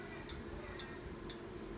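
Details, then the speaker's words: Induction cooker brought in because it will not heat: sharp, crisp ticks repeat evenly about twice a second inside; it detects the pot, shows no error code and only beeps, but does not heat. "私たちは聞いてみましょう。中にカチカチと音がしますね鍋を減らすことができますが、加熱することはできません"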